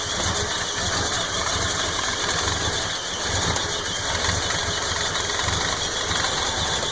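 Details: 4.9L engine with a carburetor fault (something broke in the carb while driving home): uneven, stumbling idle with a hiss and an unsteady beat, no clear knock. Rough idle; exact carb cause not confirmed.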